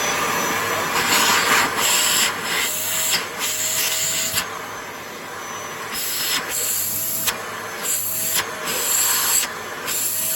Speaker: Quite powerful, and it's quite good too.